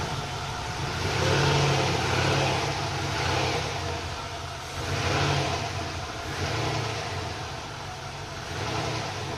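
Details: LS2 V8 in a Volvo 240GLE turbo project, restarted after adding 15 litres of E10 because it had been sucking air and running at a third of normal fuel pressure; catches and revs in smooth, even swells without stumbling. Normal running.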